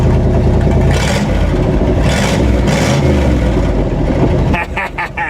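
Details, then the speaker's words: 1958 Chevy Apache after cleaning and gapping the plugs: loud, throaty revs climbing and settling cleanly with an even beat and no misses; loud because a Cherry Bomb muffler section of the exhaust is missing. "sounds great now if you're wondering why it's so loud uh there was a cherry bomb connecting uh part of the exhaust for the rest of the exhaust that's no longer in there"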